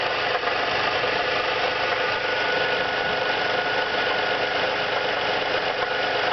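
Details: 2002 Nissan Maxima V6 idling with busy metallic under-hood rattle and light knocking, louder as it warms up; compression 180 psi cylinders 1, 3, 5 and 175 for 2, 4, 6; oil pressure light off; cause unknown.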